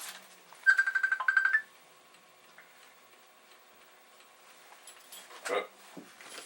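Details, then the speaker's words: Filthy Commodore 1541 floppy drive running a performance test after read trouble: a quick rattling burst of about a dozen sharp head ticks, then near silence; it passed, but owner is dubious and suspects a dirty disk. "so this drive despite that's funny noises seems to tell me it has passed the performance test I am somewhat dubious"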